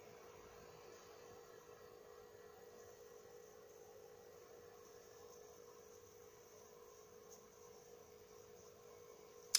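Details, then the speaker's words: PS4 Pro running Mafia 3, phone mic pressed against the console: only a faint steady low hum with soft airy hiss, no rattles or surging, barely audible from standing position; normal quiet console fan noise. "The phone is right up against the PS4, so you might hear a little bit of something, but where I'm standing right now, where my head is, I can hardly hear it get me."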